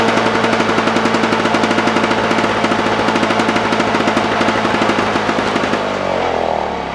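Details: Lawn Boy push mower returned again with no spark (spark comes and goes), dried off, now started: rapid, even single-cylinder popping running steadily, then coasts down and stops when shut off.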